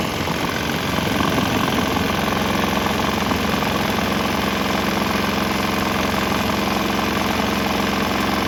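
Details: Swan X 165F Chinese single-cylinder diesel, throttle on start, switching to used canola fryer oil: fast regular even chug with no knocks or misses, slight tempo and exhaust note change; running smoothly.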